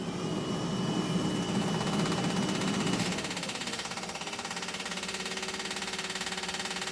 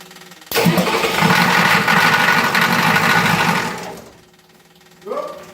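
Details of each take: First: 1986 Ford F250 diesel after fuel pump install, cold day: louder whirring prime then steady rapid clicking three or four per second; electric fuel pump working properly. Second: 1986 Ford F250 diesel just after fuel pump install, on a chilly day after a short glow: short crank catches into a lumpy, uneven diesel clatter for about three seconds, then dies; owner suspects more glow plug time needed; starts then stalls.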